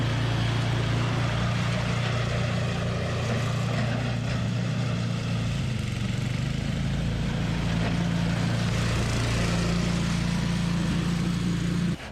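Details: Toro 521 snowblower fired up after replacing a blown drive belt, new belt tight. Steady, even single-cylinder drone with constant low hum, no slipping squeal or knock; runs healthy until shutoff.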